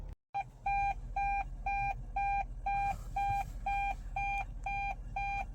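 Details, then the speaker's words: Hybrid car's double-tone warning chime beeping about twice a second over a quiet idle hum: in neutral (N) the engine doesn't turn the generator, so the traction battery isn't charged; battery gauge falls to 2 bars and "traction battery needs to be protected" appears. "Nah ini ya, traction battery needs to be protected refrain. Jadi intinya kalau N itu nggak ngecas baterainya."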